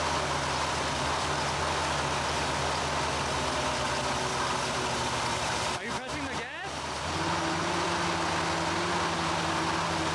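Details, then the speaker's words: 1975 Chevrolet Corvette Stingray V8, long-stored, just after Edelbrock carburetor rebuild (previously died immediately): loose, lumpy, wandering idle with brief clatter midway, keeps running on its own; still rough, idle and carburetor adjustment still needed, cause unconfirmed. "obviously it's still not running right but it's super dark outside but it is running and it stays running by itself"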